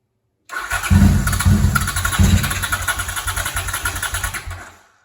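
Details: 1978 Honda CX500, spare starter cleaned up and installed to cure an occasional dead spot, engine nearly cold: strong, even cranking at about two turns a second for four seconds; starter spins freely and is healthy.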